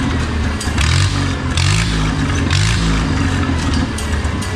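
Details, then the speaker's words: Oliver 66 tractor after Marvel Schebler TSX carburetor replacement: steady engine with smooth swells in speed, picks up cleanly without stumbling; loads up far less than old carb, slight gray smoke; normal running. "I don't know if any of you guys can tell the difference just from different videos, but I can tell you right now, that new carburetor, it runs a lot better."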